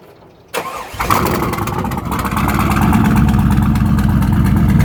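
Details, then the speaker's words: Corvette (Student Driver car) started after breaking while parked: cranks and catches within a second, then lumpy rough idle, spitting oil out the exhaust; simple fuse apparently not the issue, likely a failed dry-sump scavenge pump located low, hard to see. "Yeah, I think we got the issue. The issue is the scavenge pump, which is down there, and you can't really see it."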